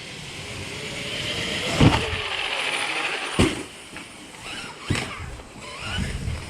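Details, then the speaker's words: Traxxas X-Maxx RC truck with a Hobbywing Max5 G2 ESC, TP 5840S motor, mod 1.5 gears (11T pinion, 35T spur), on 6S/8S, first run: sharp clacks under hard throttle; the gears are suspected messed up. "When you hear that noise, that clack, let off the throttle, because it's messed up."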